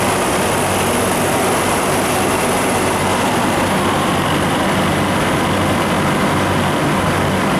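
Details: Refrigeration unit (likely R434A) on milk tank restarted after replacing internally leaking liquid line solenoid valve and liquid line drier: steady even rushing hum with no clicks, knocks or surging; running normally.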